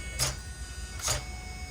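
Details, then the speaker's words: Serpent Cobra 1/8 truggy, unused for years, first power-up: short buzzy steering servo whirs about once a second as it sweeps. The steering doesn't straighten dead on, and the owner suspects the servo is wearing out. "doesn't really straighten I think survey might be on its way out it's not straightening dead on"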